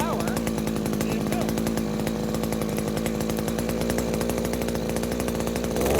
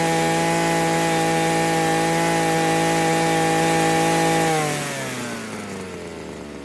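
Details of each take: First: New Henghai 2.5 HP air-cooled Chinese outboard, first start out of water, on choke: small two-stroke buzzing at fast steady idle; it stalls when choke is fully opened, owner suspects it wasn't warmed up enough yet. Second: New Henghai 2.5 HP air-cooled Chinese outboard, first start out of water, warmed up: high steady scream at full throttle, then pitch drops smoothly back to idle; owner finds it a bit too fast but powerful; normal run.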